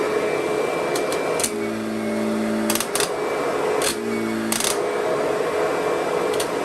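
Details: Curbside-found Kirby Sentria vacuum running; a nicked part due for replacement, outer bag worn out. Steady high motor whine, a few handling rattles; motor sounds good, runs and cleans fine.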